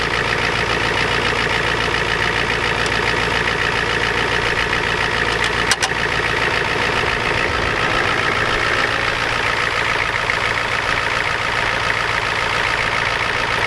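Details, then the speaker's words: Ford F250 7.3 IDI diesel just cold-started at 12°F with glow plugs and ether: steady clatter over an even idle, bright ticking throughout, no odd knocks; normal cold-start idle. "keep the girls up god doesn't like the cold nobody does anyway"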